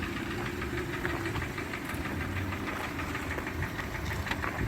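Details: 2014 Hyundai ix35 with G4NA engine in for repair: at idle a rapid, hollow, evenly spaced knocking over the engine; piston slap from scuffed cylinders, repaired by boring 0.5 oversize with Teikin pistons.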